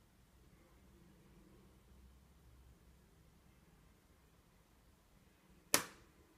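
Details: MacBook Pro 2016 Touch Bar, Radeon 460: near silence then one sharp crisp snap like a crushed plastic bottle, occurring when the lid is opened after hours off or minutes after startup with CPU under stress; chassis pops as it heats.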